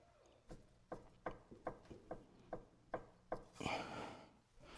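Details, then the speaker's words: Sway bar link with small play, checked by rocking the sway bar up and down by hand: light dull clunks about two a second, worn sway bar link. "There's only a small bit of play in this link, but you can check that by just grabbing the actual sway bar right here and just going up and down with it, and you'll hear the link."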